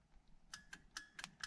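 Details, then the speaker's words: Horn test after installing a Sparco quick-release steering wheel with NRG hub adapter on a 1990-93 Fox-body Mustang, power on: sharp, light clicks in quick pairs as buttons are pressed, quiet background; horn relay switching properly. "Okay, so we're gonna make sure the power is on, and you should hear the relays to the horn going off when I hit the buttons."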